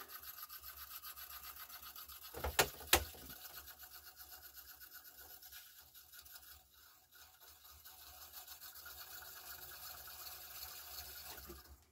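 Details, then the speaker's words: Yamaha CDC-625 5-disc CD changer after servicing: quiet dry scraping and rubbing about three strokes a second with sharp clacks; disc clamp rubbing because a plate was misassembled during reassembly. "That doesn't sound good at all. What is going on with that? That disc clamp sounds like total crap."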